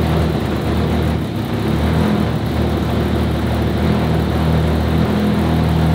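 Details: RS4 Limo 2.0 project engine, warm start, while the cause of its smoking is being sought: a steady, even low idle with no misses, stumbles or hunting, a smooth settled idle that runs noticeably better.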